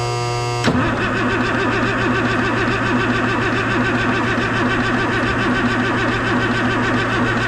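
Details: M35A2 deuce-and-a-half diesel, hard to start and lacking power, during a timing check, fuel shutoff checked: the starter drags it over in a steady, slightly uneven churn of about seventy-odd beats a minute, no firing.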